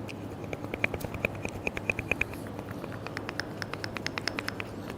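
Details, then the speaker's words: A ball joint removed from a Volvo V50 is rocked and tapped by hand, giving sharp, light metallic clicks. It moves freely when it should be tight, so it is badly worn and will be replaced with a new one. "It's really bad. You shouldn't be able to push them around. They should be nice and tight. I can literally just tap it and it's knackered."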